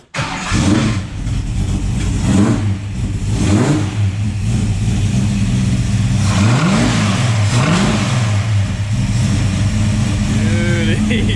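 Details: Recently restored Ford XW ute with 4V 351 Cleveland V8, which previously would not run, found with a loose timing chain and leaking brake booster: cranks and catches immediately, clean revs, then settles into steady idle; healthy.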